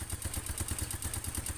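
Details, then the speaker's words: Yamaha Mio Sporty scooter with rough top-end noise: rapid metallic clatter from the head, evenly paced at idle; oil not circulating to the head, camshaft and rocker arms found dry, from oil starvation. "Kenapa mesin di bagian head ini kasar otomatis sirkulasi oli tidak masuk atau tidak melumasi bagian noken as pelatuk klep"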